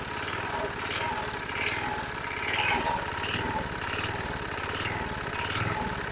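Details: 2005 Troy-Bilt 21" push mower, engine 129K02, just started after priming: engine speed swells and sags about every second; the primer bulb smooths it, then it surges again, showing fuel starvation, probably carburetor deposits.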